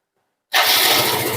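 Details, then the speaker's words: First-generation carbureted Yamaha Mio scooter, previously hard to start, intermittently failing and jerking on acceleration; after carburetor repair the engine catches instantly and idles smooth and even: easy start, smooth idle. "สตาร์ทง่ายเลยครับเสียงนิ่มขึ้นเลยนี่ครับเสียงนิ่มเลย"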